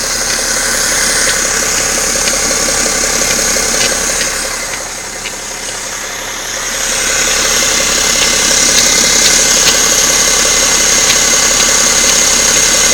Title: BMW 530Xd engin knocking noise